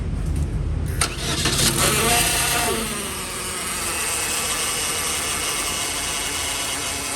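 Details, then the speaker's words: Chevrolet Cruze 1.8: engine catches and settles into a loud, steady rush with a high jet-like whine over it from the damaged automatic transmission. The gearbox was found oil-wet with a suspected torn seal, though the oil level was still full. "Chả biết đỗ ở đâu. Nó đang kêu như máy bay"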